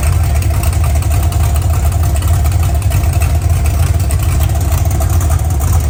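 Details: OBS truck V8 on its first fire-up with open headers: a loud, deep, steady burble with no knocks or misses; it sounds healthy, though the air-fuel ratio reads erratic because the O2 sensor sits near the header end.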